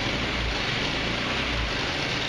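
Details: Verano 150cc GY6 scooter tested after valve adjustment and reassembly; small engine ticks over at an even, steady idle under a hiss, with no rattle or misfire: running fine.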